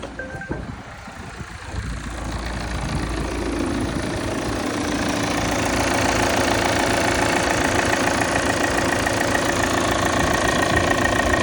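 Diesel catches after two seconds, then a rapid, even buzzing clatter builds over the cold idle; cause not clear from sound alone.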